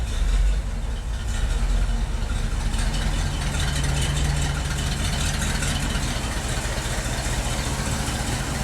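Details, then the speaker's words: 1970 International 1200 pickup that sat 30 years, running on a substitute carburetor that itself sat almost 10 years: low, even idle with a steady rumble and no misses or knocks; this carb is fine for now, original carb to be rebuilt later. "It's not spraying fuel everywhere. Well, let's see if it starts back up on its own. It actually sounds decent."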